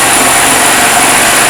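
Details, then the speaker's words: Chinese 150cc scooter (157 engine) after piston and valve replacement for zero compression, running without air filter: steady high-pitched single-cylinder idle, even with no misses or knocks, judged to run well. "Я думаю що непогано працює"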